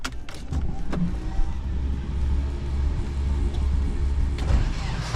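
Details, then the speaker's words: Nissan S13 KA24DE with newly installed Garrett GT2871R replacement turbo after previous turbo blew (turbine debris in intercooler, borescoped engine), checking for leaks: deep even rumble with gentle swells, no hiss, whistle or rattle; normal running. "Fire it up, see if it makes some turbo noises. Make sure no leaks."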